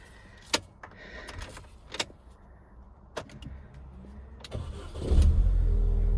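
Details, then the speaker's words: Mini R50/R52/R53 right after its BC1 body control module was swapped, bonnet open: a few clicks and clunks, then the starter catches and the engine settles into a steady, even idle; normal engine start. "so the car starts the lights i can't see really they're on or not"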